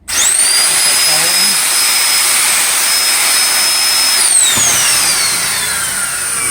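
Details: Electrolux vacuum cleaner motor just refitted with new bearings; the old worn bearing barely let it turn. On a test cord, a clean high whine climbs to a steady pitch, holds smooth without grinding, then winds down evenly; normal running.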